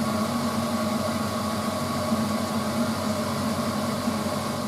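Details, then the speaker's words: Frigidaire FSD28 compact spin dryer spinning a previously machine-spun laundry load at about 2,800 RPM; smooth constant whirring hum, steady mid-pitched tone, no knocks or rubbing, normal spin cycle. "And that's now rotating at 2,000 RPM, 2,800 RPM. There you go."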